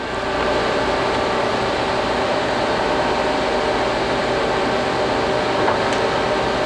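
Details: 1983 Geminis GE-1000-A 40"/51" x 120" gap bed engine lathe, 40 hp, 18 spindle speeds 5.6–1120 RPM, run at higher speed (around 710 RPM mentioned); smooth even gear whir, no knocks or grinding, gearbox healthy.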